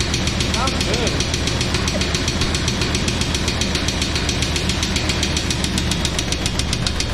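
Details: 1999 Chevrolet Tahoe, sat about 14 years, running after first start: fast, sharp regular knock, three to four a second, over a rough idle with 60 psi oil pressure and some smoke; engine blown, transmission good, LS swap planned.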